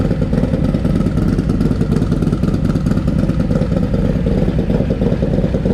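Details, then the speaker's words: Harley-Davidson Milwaukee-Eight 131ci Stage IV Low Rider S after swapping to a Cycle-Rama 512 cam, first start before warm-up and dyno: crisp V-twin thump about three beats a second, picking up cleanly on throttle, no rattles; healthy engine. "That sounds way better. Let's just run this thing up a bit more, just get it warmed up a little bit, and then I'm gonna get it in the dyno and lean on this thing and just see what happens."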